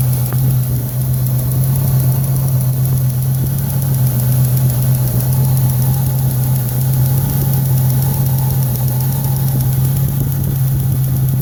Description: Trying to nail down the ticking noise. Before the eventual engine pull and rebuild :p